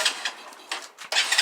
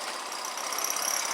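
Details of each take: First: Grom clone single-cylinder 4-speed motorcycle, choke seemingly not working: a few clicks and cranks, then it starts right up into a fast, even buzzing idle with no stumbles; healthy start. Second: Grom clone single-cylinder motorcycle at idle: thin steady high squeak over the engine from the exhaust shaking at a joint where the pipe comes apart, likely previously straight-piped; exhaust rattle.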